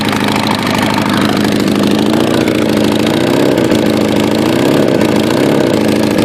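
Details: Kawasaki Ninja ZX-9R with Viper exhaust, leaking after a car scraped the right side and pulled on the exhaust: loud, raspy idle with a wavering low drone and extra puffing edge.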